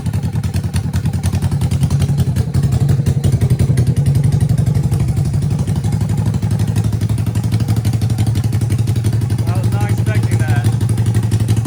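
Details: 1980 Yamaha XS400 Special twin, first start after sitting, previously died on the road, no mufflers: deep loud rapid exhaust rumble, steady with no misses; open pipes, runs sweet.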